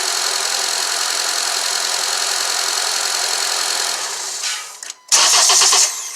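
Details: 2014 Honda CR-V after serpentine belt replacement and oil change on long-overdue oil: runs evenly, shuts off, then catches again on restart with no belt squeal or chirp; healthy start.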